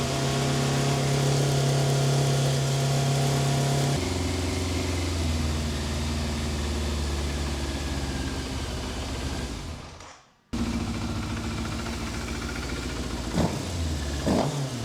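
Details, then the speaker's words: 1988 Yamaha FZ750 Genesis four-cylinder, fire-damaged, after carb rebuild and ultrasonic cleaning and new inlet rubbers, choke out: fires evenly on all four cylinders for the first time in months, high choke idle settling with blips; running normally, no fuel leaks. "running. I cannot believe it. It is running on all four cylinders for the first time in probably 9 or 10 months since I've had this bike."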